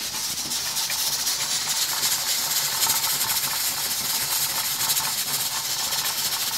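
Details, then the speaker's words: Stovetop pressure canner with 6 pint jars of beef roast and about 2 inches of water, venting steam for 10 minutes before the weight goes on (later 10 lb pressure): continuous even hiss with pint jars jiggling inside; normal venting. "But right now we're just timing the steam vent. But you can hear it coming out. You can hear the pint jars jiggling in there."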